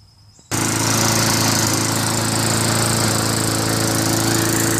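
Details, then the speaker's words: Craftsman Eager 1 mower with Tecumseh engine, after fixing a continuous rattle (recoil starter cup fins scraping) and adjusting the idle screw to stop surging: smooth, even drone, steady pitch, no rattle; running normally. "No rattling sound. Adjusted the screw. And now it doesn't surge. runs good now."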